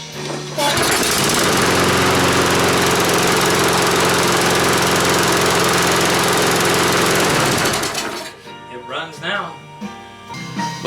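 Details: Church lawn mower after service and oil top-up, brought in because it would not keep running after starting: it fires up and holds a steady, even run for about seven seconds with no stumbling or surging, then shuts off. It now runs fine.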